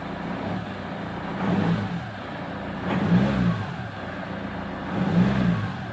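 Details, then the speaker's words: Land Rover Defender turbo diesel after replacing a split intercooler pipe: pulls cleanly through three throttle surges, deep even rumble rising and falling with revs, no hiss under boost; leak fixed. "so there's the end result with the replace pipe doesn't look anything special really it's just a pipe in it but yeah that's all needed to fix it and it's all good again"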